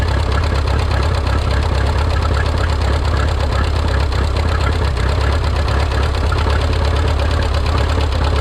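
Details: Rebuilt Minneapolis Moline 335 tractor engine, warm (gauge about 140°), tappet gaps readjusted warm: low, uneven chugging with an irregular beat instead of a steady idle, not firing cleanly; rough running misfire, possibly timing.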